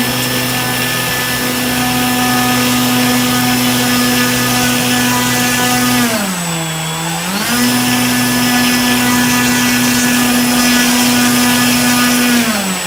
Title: STRANGE NOISE WITH 25C BATTERY ON BRUSHLESS MOTOR